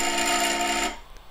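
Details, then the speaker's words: HyperCube 3D printer Z-axis stepper on the lead screw, commanded from Pronterface after X/Y moves were fine: harsh buzzing growl with stacked tones for under a second, then cuts out; stalling and binding. Swapping drivers ruled out a driver fault. "you can hear it's very it's not good at all there's no though hungry detached from the bed and it's really not good noise"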